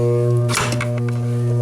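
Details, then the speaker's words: InSinkErator kitchen garbage disposal switched on: steady low electrical hum with no spin-up. The impeller turns freely with a pry bar, so it is not jammed; an AC motor fault (hum, overcurrent, shut-off) is suspected, not confirmed. "So if you turn it on, it buzzes, hums, doesn't spin. So is this thing seized up or not?"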